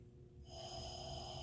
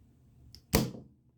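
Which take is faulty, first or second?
first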